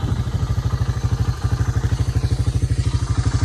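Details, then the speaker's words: Early-1990s Honda FourTrax TRX300 ATV, auction machine revived, idling after a 15-minute ride: even steady thumping of about three beats a second, no misses, knocks or rattles; single runs smooth and healthy. "well I just took it for about a 15minute ride and this thing is running perfect this thing is running"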